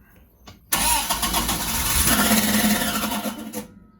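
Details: Sunbeam Alpine with a newly installed WOSP high-torque starter: harsh raspy metallic grinding for about three seconds on cranking, engine never fires; not a wiring fault but a fitment issue, fixed with a 3mm spacer.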